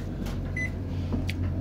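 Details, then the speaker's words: AIMS 12V 4000W pure sine wave inverter charger in automatic standby with all loads off: one short high beep over a low steady hum as it pulses voltage to detect loads, staying in low power mode, normal. "and what the inverter is doing it's sending out a pulse pulse a voltage pulse trying to detect any loads and it's not really detecting any large loads so the inverter stays in a low power mode"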